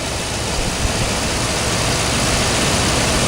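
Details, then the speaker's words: Toyota Tundra idling right after a serpentine belt replacement: steady even rumble with some hiss and no belt squeal or chirp. Runs smooth, good clean installation, normal idle. "but it seems to be running smooth doing nice a good clean installation"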